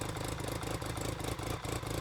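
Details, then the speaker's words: BMW K75 RT after fuel injector replacement, before air filter cleaning: lumpy three-cylinder idle with regular dips and stumbles. Misfire from dirty air filter. "okay so it looks like it's the air filter I'm probably not regretting getting the fuel injectors to be honest and the spark plugs because it definitely helped a lot"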